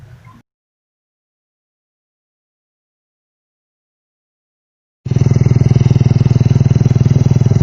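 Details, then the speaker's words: Honda Revo Absolute after replacing the valve rocker arms, which caused rough noise: steady even low chug at fast idle with no top-end ticking or clatter; normal running. "kita tes karangnya Hai suara juga halus sering artinya"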